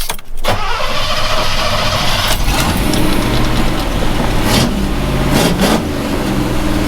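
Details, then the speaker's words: Chevy pushrod truck after valve adjustment, valve cover off, restart test: starter catches quickly, then steady, even idle without tapping; healthy start. "pretty decent all right there we go the joys of a push rod engine"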